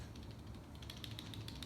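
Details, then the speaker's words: OneUp EDC multitool stored in a mountain bike steerer tube: light uneven metallic ticking as the bike is jostled. The tool rattles when fitted facing left-right. "now what I have noticed is if you put it into your bike with the a lot of people run it with this this bit here looking left to right out of your steerer now I've noticed if it's left to right it rattles a little"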